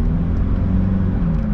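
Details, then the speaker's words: 2002 Saab 9-3 Convertible at idle after sitting about six months: deep uneven exhaust rumble and rough low chuff from a leak at the joint between the center and rear mufflers; center muffler badly deteriorated. "and fix up that exhaust leak that's happening on one of the joints between the center muffler and the rear muffler"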